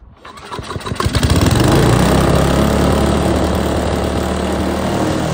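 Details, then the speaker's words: Troy-Bilt Tomahawk Pro chipper with 10HP Tecumseh, started on starting fluid with choke: it catches and climbs to a high, strained runaway howl that ran hot. Cause was a stuck governor arm with the remote throttle linkage not returning. "okay that ran hot man that ran hot that revved really high I'm not sure the governor was working"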